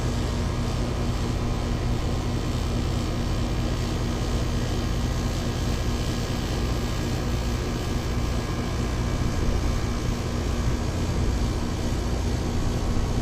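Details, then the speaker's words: Ameristar 4-ton AC condenser in 106F heat after replacing a bulged, failed Genteq capacitor with a Mars 60/5: steady deep hum with even fan whoosh, no buzzing, clicking or stalling; compressor drawing about 18 A under hard load, running normally. "Just make sure it's not pulling any crazy current. $18. It's probably working its butt off right now."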